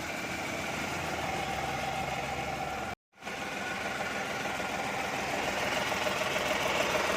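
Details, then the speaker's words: Renault Kwid at idle, customer suspected a clutch bearing: steady idle with a constant dry rushing whirr riding over the engine; diagnosed as a worn alternator bearing. "तो इसमें भाई हमें problem पता चला इसका जो ये alternator का बेयरिंग है इसमें साउंड"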